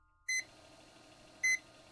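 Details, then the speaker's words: Power supply tester on switching power supply with 4-pin 12 V CPU connector disconnected: short sharp high beeps about a second apart with blinking, flagging low +12 V voltage; low-voltage alarm. "For example, when I actually disconnect the 12 volts uh related to the four pin connector, you see that it starts blinking and beeping again, which indicates that the voltage is low."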